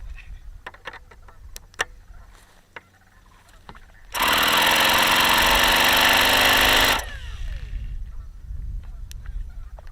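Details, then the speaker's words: Vintage Saito FA-45 model engine, circa 1983, two-piece head, ringless, tired and well worn, running on 5% fuel with a light prop: shrill high-revving buzz with a coarse, rattly edge; bearings are very bad. "now yeah the bearings are really really bad on this engine really bad you can hear how bad those bearings are"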